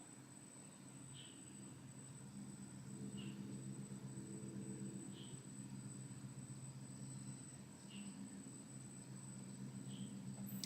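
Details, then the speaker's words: 120mm AIO water cooler after service and coolant refill, pump circulating: quiet steady hum with a few faint ticks from bubbles/foam after first fill, judged normal. "ditampelin seperti ini harusnya dengung cuman dengung saja suaranya seperti seperti itulah Walaupun memang ada sedikit kcikcikkcik itu enggak masalah"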